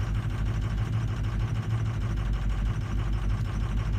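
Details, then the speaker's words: 2004 truck on cold start diagnosis, before hot no-start testing: uneven, lumpy cold idle with a loping beat around three per second; cylinders two, four and five weak on contribution. "all right so two four and five horrible on the cold start"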